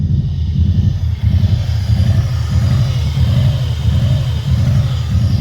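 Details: Subaru Impreza on regular fuel with rough idle revving up and down randomly; check engine code 24 (air recirculation/idle air control valve), fixed by cleaning the valve.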